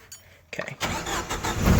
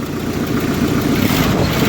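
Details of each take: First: 1995 Jeep Wrangler YJ, 2.5L four-cylinder, five-speed: brisk crank, then it starts at once and runs steady. A belt squeal is present, and an exhaust manifold leak is typical for it. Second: 1995 Jeep YJ Wrangler engine revving and settling: light rapid ticking puffing through exhaust note, with belt squeal; suspected exhaust manifold leak, typical for these engines.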